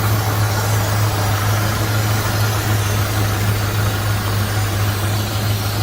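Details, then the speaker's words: 1971 Dodge Coronet police car, 383 four-barrel big block, first start after fuel tank, lines and pump work: smooth even V8 idle, no knocks or misses; slight smoke from driver's side pipe, number eight cylinder, which had bad plugs, suspected stuck rings. "idling really nice a little bit of smoke coming out the driver's side pipe so that's number eight cylinder"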